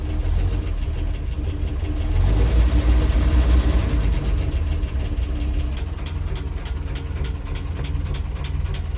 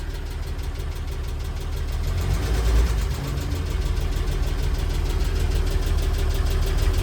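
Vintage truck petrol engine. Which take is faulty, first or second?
second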